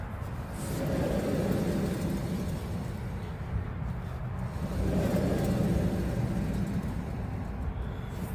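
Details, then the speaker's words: 2020 Ford F250 with a rhythmic noise from the front at 10–20 mph: driver's-side front wheel jacked up and spun gives a low, coarse rumble that swells and fades; worn hub bearing. "So, I jacked up the passenger side, spun the tire, didn't make any noise besides like a little brake noise. But then the driver's side, I don't know if you can hear it."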